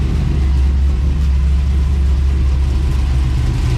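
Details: 1999-07 Chevy Silverado LS V8 race truck after valve cover gasket replacement and new ground: deep, even rumble with no knocks, misses or ticking over four seconds; normal healthy idle.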